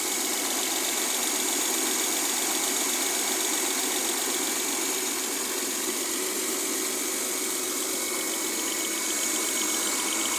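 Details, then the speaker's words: Mercedes W212 with M272 V6 at idle: a steady, bright metallic clacking of about four per second over a smooth idle, which the owner thinks comes from one area of the engine; the source is unknown. "Woher kommt das Klettergeräusch? Klack, klack, klack, klack, klack, klack. Ich glaube hier aus diesem Bereich."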